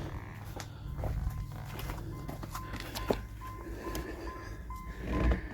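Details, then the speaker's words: Pontiac Fiero barn find that sat untouched over 24 years, battery just connected (somewhat weak): soft, evenly spaced chime beeps over a low hum inside, showing dash warning circuit has power; cranking later produced nothing. "um and we have stuff beeping on the inside so that's the sign isn't it"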